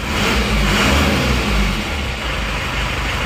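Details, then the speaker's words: Isuzu Panther Turbo diesel with high oil consumption, running with temperature now rising. Steady even low thrum, light revs rising and falling, no knock or rattle; normal running after rebuild. "Oke teman-teman ini temperaturnya Ya sudah agak naik ya ini"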